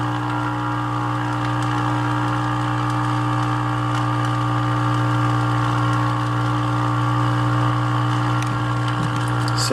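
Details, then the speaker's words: 1946 Hallicrafters S38 early-model radio being powered up for repair: a constant low buzzy hum holds unchanged before the set reaches full power; abnormal hum, cause not identified. "Oh, that sound. We're not even powered up all the way."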